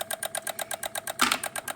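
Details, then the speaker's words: 2016 Honda HR-V no-crank, no-start: with the G101 engine ground loosened, relays chatter in fast, even clicks about eight per second with no engine running. The cause is a corroded engine ground, to be redone. "We're going to take our uh 10 mm And we're going to do G101. It's hanging on my thread. So there we go. There we go with the clicking."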